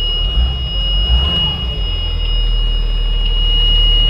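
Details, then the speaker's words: Donor bus for a 2009 Bluebird school bus with a Cummins ISB diesel and a crank-no-start complaint, started to test its ECM: steady, even diesel idle with no knocks or misses and a constant high buzzer in the background; engine runs, so this ECM is good. "so right there as you can hear the engine is running so this engine runs okay"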